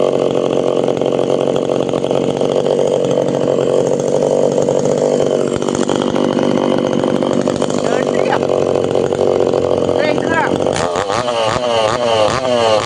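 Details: Tanaka PowerMate PMS340 pruning saw two-stroke, cold start test after repairing a failed fuel delivery system that stopped it revving: steady high buzz under throttle, then burbles and crackles as revs drop; runs and revs cleanly.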